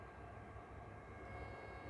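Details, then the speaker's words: 3D printer enclosure fan fitted with a second printed Helmholtz-resonator silencer, modified with four 6 mm × 3 mm magnets at the corners: even, low rushing hum with no rattle or whine; fan runs quietly and smoothly. "Modelul găsit și printat se folosește de fenomenul acustic denumit rezonator Helmholtz pentru a reduce zgomotul făcut de ventilator."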